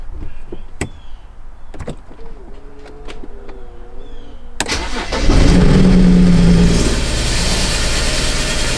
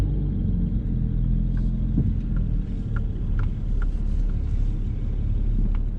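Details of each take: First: 2007 BMW 335i N54 twin-turbo that rattled like wastegate rattle, then lost all boost and now smokes: engine cranks, catches and runs rough and uneven; engine misfire, failing turbochargers suspected, before turbo replacement. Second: 2007 BMW 335i N54 twin-turbo after turbo replacement with VRSF catless downpipes and outlets: steady low idle rumble with a few light ticks, even and settled, running normally; previously had rattling, boost loss and no boost.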